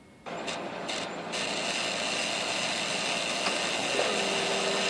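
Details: Dell computer powering up into a harsh, rough grinding whir with a thin whine riding on top: a grinding noise.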